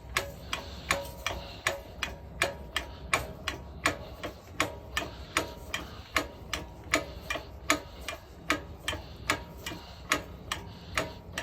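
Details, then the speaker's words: Harbor Freight 10-ton hydraulic log splitter, cold windy day, high-force pump stroke with the ram pressing on a log: regular crisp clicks at about 78 a minute that stay sharp under load; the pump sounds healthy. "Now it makes contact, and then that means you need more force basically to move this one forward. Makes good noise."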